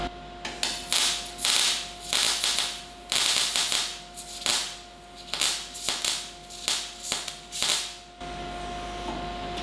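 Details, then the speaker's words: Cigweld Transmig 165ST MIG welder on thin plate at about 16 volts, wire speed turned too low for the voltage: broken stop-start crackle and popping in short bursts, leaving a very thin weld sitting on top, unsuccessful; wire feed speed too low. "that's a very thin looking weld that's sitting on top and not at all a successful weld at all."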